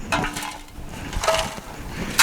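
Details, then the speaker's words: Honda GX390 pressure-washer engine, gasoline left stored a long time: removed fuel tank shaken, irregular gritty rattles and sharp clinks from rust and debris inside; tank, fuel line and carburetor replaced. Rust debris in fuel tank. "uh it's all full of rust and debris and crap"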